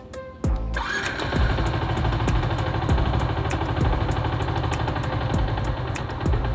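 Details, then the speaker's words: Yamaha New Jupiter MX 135 vacuum carburetor with idle set too low as workshops do: slow, uneven loping putter, almost dying; needs extra effort to pull away in gear and wastes fuel, so idle should be raised. "Ini hampir mau mati nih, kalian dengerin. Tuh. Itu rendah banget, dan ketika kita masukin gigi terus mau gas, itu butuh tenaga yang lebih untuk mendorong motornya agar motornya jalan."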